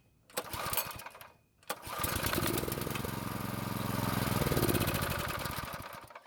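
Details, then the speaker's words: Neglected old tiller small engine, ignition spark confirmed, air filter removed and gas poured into carb throat: pull-start rattle, then runs a few seconds with rough uneven beat before dying. Brief run on fuel primed into carburettor. "fortunately the engine started and ran for a few seconds which is great news"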